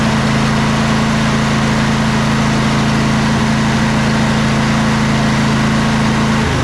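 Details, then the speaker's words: Twin-cylinder riding mower engine at full throttle, after a valve adjustment and a slow-cranking starter repair: a steady, even drone with both cylinders pulling, no misses or knocks, though smoking after long disuse; normal. "let's fire it up at Full Throttle and see how it sounds"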